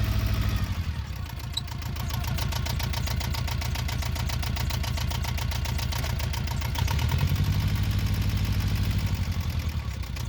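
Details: Yanmar 2GM two-cylinder diesel that sometimes starts knocking and shaking violently after running a while: hard, heavy knock and shaking beat swelling as revs change under throttle.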